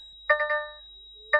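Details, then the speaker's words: DAF XF/CF truck, ignition on after fitting a new smart air control air dryer: quick triple warning beeps repeat about once a second, air supply system malfunction and engine malfunction in amber, before ECU adjustments. "Air Supply system malfunction in Amber now and our engine malfunction in Amber so ignition's on as you can hear it's still beeping away"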